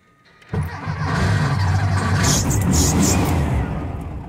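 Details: Carbureted engine on IDF carbs with 55 jets, fuel screw about 1⅓ turns out, cold start after sitting about 10 hours: catches quickly and settles into an even, lumpy idle with no popping through the carbs; normal cold start.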